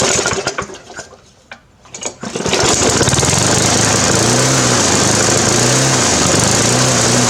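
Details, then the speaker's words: Briggs 350 Classic lawn mower after new governor springs, diaphragm and gasket: catches after a couple of pulls, then rises and falls in slow hunting waves; a big crack in the gas tank under the carburetor joint is blamed, and swapping tank and carburetor fixed it. "Right, so after all that, I was still doing the same thing, and what I noticed is there's a big crack right along here, and it goes under like where the carburetor joins onto."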